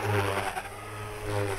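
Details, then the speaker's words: Electric RC helicopter at high rpm with ESC governor gain deliberately set far too high: motor chirps and the whine swells and dips about once a second as rpm hunts, making the tail wag; governor hunting from excessive gain. "so you can probably hear the tail wag there that is just from the RPM changing so drastically trying to hold it in one place that the tail is just wagging"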